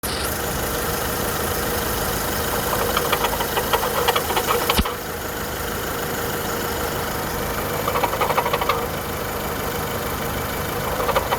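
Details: 2010 Volkswagen Polo 1.4 petrol at steady idle: light, fast ticking in bursts over engine hum, suspected from timing belt area; source unconfirmed.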